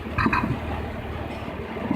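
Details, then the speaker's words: 2003 Jaguar X-Type V6 (about 3.2 L) idling with check engine, ABS and oil pressure lights on; uneven beat with heavier thumps, misfire worsening when cooling fans load the engine; injector power supply wiring under test. "I think you can hear every time the engine is loaded like right now the engine cooling funds have just come on and you can hear the firing um"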